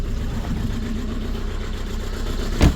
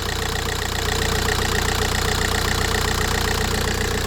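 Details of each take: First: VW Golf 4 TDI diesel at idle: lumpy shaking as if running on three cylinders; injector number 2 suspected poorly powered, possibly wiring harness, before repair. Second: VW Golf 4 TDI diesel that had vibrated as if on three cylinders, after repair and restart: steady, even idle clatter with a regular beat, no stumble or shake, then switched off; vibration problem fixed, normal idle.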